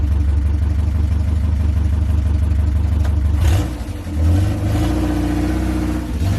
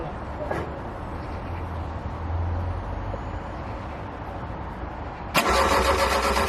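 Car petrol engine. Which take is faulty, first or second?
second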